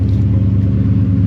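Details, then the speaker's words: Chevy Suburban 454 V8 after the fuel pressure fix, idling 5–10 minutes with good fuel pressure. Deep, steady low rumble with no knocks, misses or surging, settled into a smooth, even idle. "it's been idling for like 5 10 minutes now"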